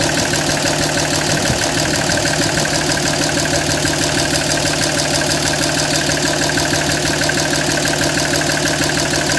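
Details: 2007 Dodge Ram 5.9 Cummins diesel clatter at idle, slightly uneven lumpy beat over steady drone; rough running began a month ago. Intermittent fuel rail pressure sensor, MAP sensor and overboost codes (no boost fooler fitted); owner wonders about excess blow-by; cause not pinned down.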